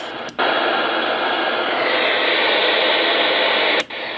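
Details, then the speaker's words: Mobile radio on a local high-frequency channel at home: loud steady hiss with brief dropouts; the interference comes from the high-speed internet modem power supply. "well recently i've noticed in my mobile i go by houses and it picks up static like every house i pass in town you'll hear it my house i've been wondering why i've been getting a lot of static"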